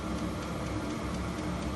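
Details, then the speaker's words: HCALORY HC-A01 diesel heater set to max 36°C (96°F), fuel pump and fan speeding up: steady fan rush with faint fast pump ticking beneath, even and unbroken; normal running at full heat. "I hear the fuel pump picking up. I hear the fan picking up."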